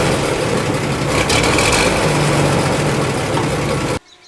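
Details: Barn-find fire truck that had not run in about 20 years, just restarted after smoking heavily: deep, steady, throaty idle with an even beat and no knocks or misses; the engine is running smoothly.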